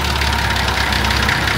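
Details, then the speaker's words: Nissan TD42 diesel, first start after new oil pan, fresh oil and two new filters: steady even idle clatter, smooth low rumble, no misses or knocks; earlier noises attributed to air in system, now gone; normal idle. "sounds like a td42 coming good now it was just that I think that had a bit of air in it Yes sounds so much better"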